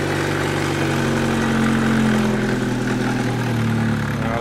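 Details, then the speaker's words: Homemade V2 engine generator/cogenerator, first run after many changes: the engine runs at steady speed with an uneven, stumbling beat that sounds like missing. Owner suspects the ignition timing; not confirmed. "but something went wrong I think it was missing"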